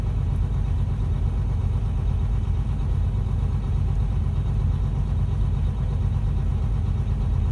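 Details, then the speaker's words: Diesel idling with a newly installed replacement air compressor: steady low idle with a faint rhythmic pumping underneath. The compressor can be heard pumping, but air pressure keeps dropping and won't build; cause unclear. "look at this dropping again I can hear the compressor pumping right now"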